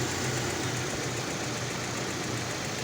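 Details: Car after replacing the faulty ignition coil on misfiring cylinder four: steady, even idle with a low hum, no stumble or missing beat; misfire fixed, normal idle.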